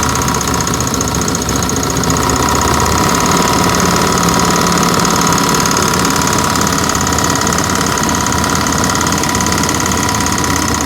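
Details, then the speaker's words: 1992 Mustang GT 5.0/302 at idle with new exhaust: hard, uneven knock about three times a second, first thought rod knock or valvetrain, traced to the accessory belt; gone with belt removed. "yeah we were both wrong it wasn't a rod knock or the valvetrain"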